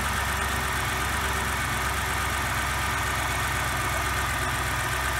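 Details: 2007 BMW X5 4.8 V8 idling after thermostat replacement for codes P0128 and P112B, checking for coolant leaks: smooth, constant idle, steady hum, no ticking, surging or rough beats; healthy, no leaks.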